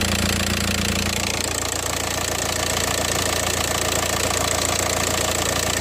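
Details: VW Passat 2.0 TDI PD (BHW) diesel after the DIY oil pump conversion, engine covers off: steady idle with even, regular clatter at about 214 beats a minute and no odd knock; the earlier sound is gone and it sounds healthy.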